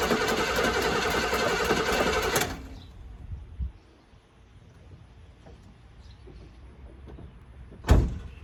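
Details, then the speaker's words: 1984 GMC Sierra Classic after sitting about six months, freshly installed battery: starter spins briskly and evenly for about two seconds but never catches; no fuel reaching the carb, likely evaporated while sitting. "Alright, so we're not pulling up fuel up to the carb. Like I said, it's been sitting, so fuel's probably evaporated out of it."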